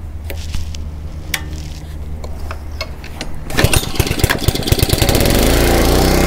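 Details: Honda 5 hp GC160 (model uncertain) gravity-fed pressure washer that had been surging with weak pressure, after new filter, spark plug and carburetor cleaning: handling taps, then engine catches and settles to a steady, even run with no surging or hunting.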